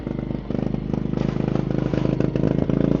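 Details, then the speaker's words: Sungold 3000 W solar inverter charger setup: small generator runs rough, chugging unevenly with clatter, then shuts off and trips when connected; cause unclear, possibly the generator. "Oh, I hear it kicking up. It kind of runs like crap, though."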